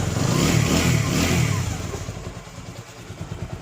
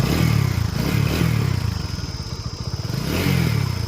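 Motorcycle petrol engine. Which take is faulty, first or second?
second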